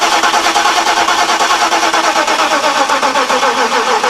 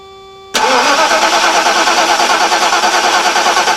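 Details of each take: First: 1991 Mercedes-Benz 420 SEL, 2007 group 49 lead-acid battery after a hard winter, engine disabled: starter cranks about three turns a second, dragging and uneven as open-circuit voltage falls from 12.65 to about 12 V; slow cranking from weak battery. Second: 1991 Mercedes-Benz 420 SEL (W126), cranking with engine disabled on a newly installed Deka Intimidator AGM group 49 battery, voltmeter connected; brisk, even cranking about three compressions a second without slowing: normal cranking, strong battery.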